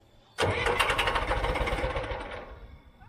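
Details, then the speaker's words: John Deere backhoe with a rebuilt diesel engine that won't fire: about three seconds of even starter chugging at three to four pulses a second, then stops without starting. The owner suspects the rebuilt engine has not yet seated, which makes it hard to start; unconfirmed. "Okay, so we've got the engine here close to starting, and we're still having trouble with it not wanting to fire up."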